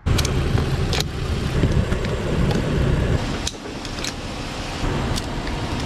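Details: Nissan S13 with VQ35 engine swap, first start on its own after a fuel-related no-start: loud, raw open-pipe rumble, steady after catching with slight rev swings; normal running.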